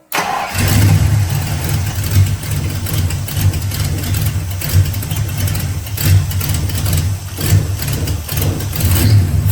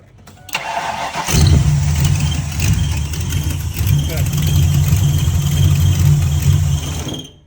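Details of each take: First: Mustang with a rebuilt carburetor after throttle-response and detonation issues, fuel lines tightened: it cranks and catches, then idles lumpy with uneven surges and dips, running rough and hit or miss. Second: Mustang V8 with a rebuilt carburetor, restarted after a wire was crimped back on and the coil reconnected: a brief crank, then it catches and settles into a steady, even idle with no stumbling; a normal start and idle.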